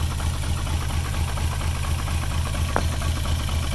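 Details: VR6 catching with slight throttle, a little smoke from the PCV valve: low idle with a lumpy pulse about twice a second that never settles. Rough idle.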